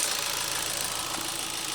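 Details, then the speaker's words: 2017 Ford Fiesta SE with a newly replaced radiator cooling fan, which switches on after the engine reaches 210: a steady airy whoosh over the idling engine with no rattles or scraping, so the fan is running smoothly and works perfectly. "that's it done see works perfectly fine so glad we're done with"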